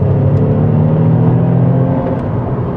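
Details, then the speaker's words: Saab 9-3 Aero driving in near-100° heat: smooth even low drone holding steady under throttle, no knocks or rattles, after an earlier noise the driver suspected was a motor mount; engine healthy under acceleration. "it sounds good it does it sounds good you know as with any used car there's going to be some maintenance issues that need to be addressed but I mean overall you've got a really nice running driving car"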